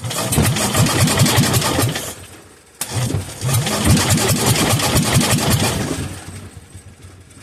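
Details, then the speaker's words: Kohler K241 single, sat unused for years, on bench, fuel fed by hand into the cylinder: starter grinds and groans, engine catches in short bursts, dies, catches again, never settles; fires but won't keep running. "well clearly we know that she'll run I'm going to put it back on choke maybe if it's not sucking as much air I can successfully bottle feed the thing"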